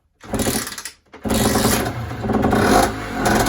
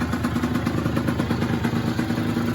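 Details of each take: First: Yamaha DT50 two-stroke on first start after rebuild, stock carb: buzzes in uneven surging bursts and never settles into a steady tickover; the idle screw was out, fixed by turning it clockwise half a turn. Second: Yamaha DT50 two-stroke, stock cylinder, exhaust and carb with aftermarket air filter, after the idle screw was turned in half a turn: quick, even popping at tickover, steady with no hunting or misses; a clean, healthy idle.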